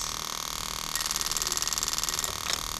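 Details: Bench test of a 1995-96 LS400 1UZ-FE to IS200 plug-and-play harness, firing each injector in turn: fast, regular light ticking for just over a second over a faint hiss; the injector is working normally.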